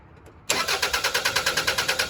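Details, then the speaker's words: 2001 Toyota Highlander 2.4L four-cylinder with extended-crank complaint, after replacing a leaking fuel part, fuel pressure gauge attached: brisk even cranking about seven pulses a second, engine starts quickly, pressure rises to about 50 psi; normal start. "See that fuel pressure jump up? Getting up to about 50. The engine is running."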